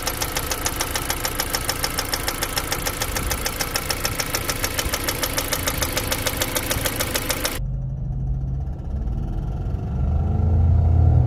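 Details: 2015 Jeep Compass 2.4L 4x4 running: a sharp, even, annoying tick about three a second over the petrol engine. Cause unknown.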